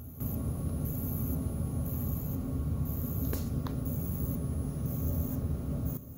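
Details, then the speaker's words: 2004 Sony SLV-N750 VCR, about 15 years old: faint high buzz pulsing about once a second from the power supply reacting to flashing; owner suspects failed capacitors, replacement caps being considered. "buzzing from the power supply that's the power supply reacting to that flashing Jesus I guess this thing's 15 years old"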